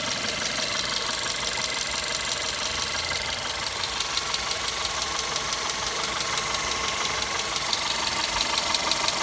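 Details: VW Golf 6 Comfortline 122 TSI, cold engine at idle: fast, steady, light metallic ticking above the engine note; source unclear, owner asking where it comes from.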